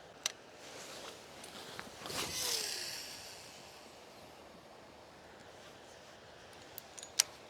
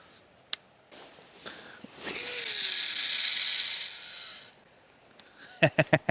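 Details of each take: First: Daiwa 25 Spider 100 baitcasting reel after fix: test cast with a smooth whoosh as line pays off the spool, no clicking or rasp. The noise, blamed on the pinion gear vibrating loosely on the spool shaft with no bearing support, was cured by greasing the spool shaft. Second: Daiwa 25 Spider 100 baitcasting reel during a cast, before repair: a high, buzzy whir with a gritty rattle from the spool; replacing the spool and bearings didn't fix it, diagnosed as a pinion gear problem, cured by greasing the spool shaft.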